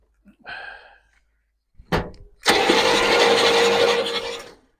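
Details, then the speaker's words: 1971 Buick Skylark cranking after fitting a better replacement part: brisk, even cranking, faster than before, no dragging; oil being pumped out of the cylinders. "Seems better."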